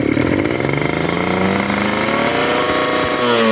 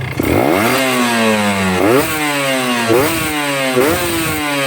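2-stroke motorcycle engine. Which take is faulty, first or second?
first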